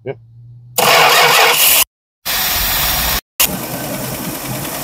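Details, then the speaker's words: 1967 Travco 220 RV with mystery big-block Chrysler, parked since 1988: catches after a short crank, settles into a steady, even idle with no misses until it dies, likely out of fuel, on a temporary supply. "yeah boy that's it she's a runner all right we got a hope we ran out of gas but that sounded good"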